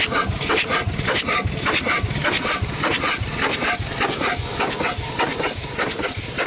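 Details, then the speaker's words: Century-old Chicago Pneumatic steam engine/air compressor on its first run in decades, compressor head off but still pumping on the bottom side: steady chuffing about 100 beats a minute with constant hissing. Steam leaks from seals everywhere, and it runs rough, unbalanced with no counterbalance, so it needs bolting down. "she definitely needs seals everywhere not a very balanced unit so it would be bolted down for sure"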